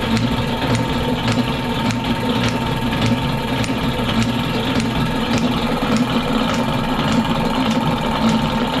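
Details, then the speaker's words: Lewis metal shaper running with a light, evenly spaced tick on every stroke but no indexing clack; the cross-feed ratchet binds and just rocks the lead screw gear. Fixes: drive axle attachment milled, ball-and-socket linkage, side load added on the lead screw. "So, what's happening there is nothing. Uh, this is kind of bound up and it's just moving it back and forth, back and forth."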